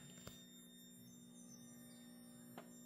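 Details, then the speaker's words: Dual high-power MOSFET PWM modules (DC 5–36V 400W) dimming 12V LEDs via a Victron system: steady quiet high-pitched whine with fainter hum and two soft clicks, persisting under two layers of sound insulation; cause unknown. "That squeaking is from the PWM modules that attach uh to our GOIX extender 150. And when we dim the lights, they squeak."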